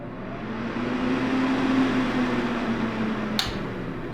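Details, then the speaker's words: Prolux CA3500 air purifier and ozone generator, right dial turning fan speed from low upward: soft steady airy whoosh swelling as speed rises, low even hum, no rattle; normal healthy fan operation. "right dial is going to be for fan speed you can go from low to"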